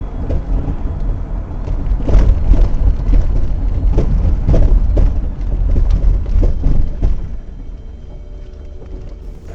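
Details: 2000 Toyota Sienna rear, driving on smooth pavement: irregular light knocks and rattles a few times per second over road rumble, at a steady frequency. Front struts were replaced earlier without fully curing it, and the rear shock absorbers are suspected.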